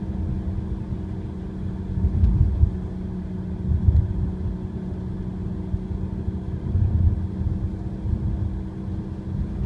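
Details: Audi A4 1.8 TFSI S-Line, six years old, 46,000 miles: low, steady cabin drone from the front passenger side, swelling with road speed, worst around 30 mph, persisting with clutch pressed or coasting in neutral, absent when revved stationary.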